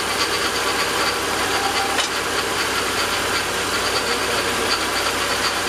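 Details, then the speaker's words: Ford F150 with remanufactured 5.4 engine swapped in at 272K miles, at idle: steady hissy whirr over the engine as the power steering pump blows air, reservoir found empty; low fluid. "you did top off the power steering too right yeah well I I did before we started it's it's it's empty we need some more okay it's blowing air"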